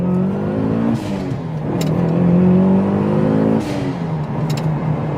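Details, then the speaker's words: Mitsubishi Evo 7 4G63T with small turbo and manual gearbox, after wastegate fix and cleaning/lubricating a sticking blow-off valve, now running 17–18 psi: engine note climbs smoothly under load, dips at a gear change, pulls again cleanly with no misfire or flutter; normal acceleration. "yeah yeah it goes a lot better is it pinning me back in my seat like it was before no"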